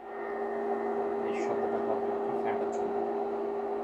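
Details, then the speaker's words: FIESTA FAB-i9 smart infrared cooker after switch-off: internal cooling fan runs on with a smooth constant whirr, steady mid tone, no ticking or rubbing, cooling the hob and stopping automatically once cool; normal. "আর এই fan চলতে চলতে যখন এই চুলাটা ঠান্ডা হয়ে যাবে তখন অটোমেটিকি ফ্যানটা বন্ধ হয়ে যাবে।"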